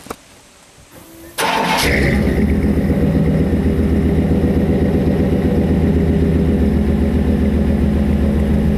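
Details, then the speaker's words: Older Chevy truck with high mileage, a deliberate cold start on an 80-degree day: quick crank, catches cleanly and settles into an even, steady idle with no misses or knocks. Owner says she's running good. Normal cold start and idle. "how's that for you yeah she's running good"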